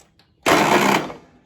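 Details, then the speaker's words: Simplicity lawn mower with Kohler engine: a harsh half-second scratchy grind on cranking that cuts off abruptly before it starts and runs. The starter is suspected to be going out, not confirmed. "makes a it sounds like the starter may be going out but um but it does start and run"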